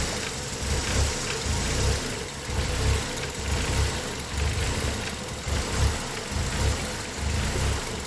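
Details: Engine with code P0400: idle lopes unevenly, swelling and dipping about once a second, with vacuum around 11 unchanged by the evap, brake-booster and spray tests. The EGR valve was found stuck open; its lift sensor hadn't shown it.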